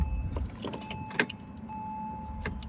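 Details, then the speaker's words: 2003 Porsche Boxster (tiptronic), flood-salvage car, key on but engine not starting; smooth even electric whir of window travel, no grinding or straining — power windows working normally. "Windows work."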